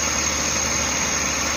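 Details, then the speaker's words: Suzuki DA64V/DA64W engine idling with air conditioning on, after cleaning the IACV without removing the throttle body: quiet, even idle with steady hum and AC fan hiss, no misses or hunting; normal idle. "Kung mapansin ninyo, yung makina natin ay tahimik na tahimik."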